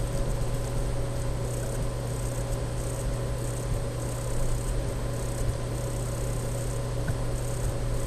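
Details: Dell M65 notebook: a thin, steady electrical whine over a low constant hum, coming from the underside of the laptop; laptop whine.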